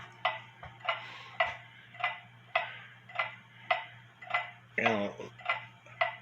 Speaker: leave it there for a little bit it sounds like it's in beat it could be off a little bit